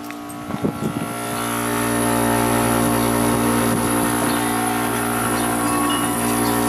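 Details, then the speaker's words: Old curbside Kenmore dehumidifier (likely Whirlpool-made) with Embraco reciprocating compressor: steady compressor hum with fixed tone but no fan whoosh; compressor works, no airflow, fan very hard to turn by hand. Seized condenser fan motor. "fan might be seized because I don't hear that"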